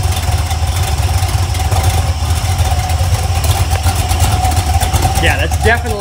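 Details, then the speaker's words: Iron LS 5.3 LM7 on a run stand with BTR Stage 2 truck cam (most likely), idled down low after priming: low, loping, uneven idle beat; earlier valve train noise has gone away, top end sounds clean; normal lopey cam idle. "some sort of L to it and I've got it idling down pretty [Music] low that valve train noise went away"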